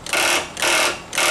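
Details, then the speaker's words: Mower starter solenoid, key turned, no crank: three harsh buzzing bursts about half a second apart, solenoid chattering on a suspected bad connection; circuit tester later confirms the key switch is supplying 12 volts to the solenoid. "sounds like a bad connection at that point throwing my video off a little bit"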